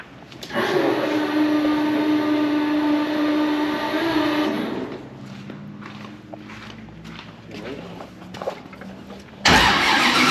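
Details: Aiden's Procharged LS-swapped Chevelle with new Texas Speed engine, first start after a sensor fix: catches loud with steady whine for a few seconds, then settles to quieter even idle; healthy first start.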